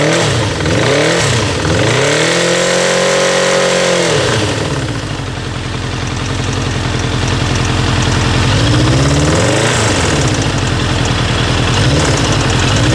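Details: Kawasaki GPZ900R four-cylinder blipped from idle: hard, rapid hammering rattle under the exhaust rising with revs; stutters above 3000 rpm; engine hammering noise, cause unknown.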